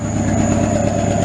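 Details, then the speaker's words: Nissan 300ZX after misfire fix: steady, even idle around 1000 rpm with no stumbling, previously bogged below 1k; corrosion found in a connector. "he's used to bog down below you know one came and you hear how it sounds sounds a lot better"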